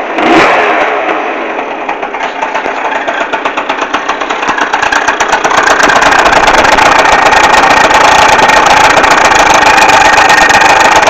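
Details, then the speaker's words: Neo's 70 two-stroke scooter kick-started to a buzzy idle: thin whistle and dry rattle on top that continues a second or two after switch-off, seemingly louder at the exhaust than the kick side; cause unclear. "Donc voilà, quand j'enlève enfin quand j'éteins le scooter, le bruit continue un peu genre une seconde voire deux."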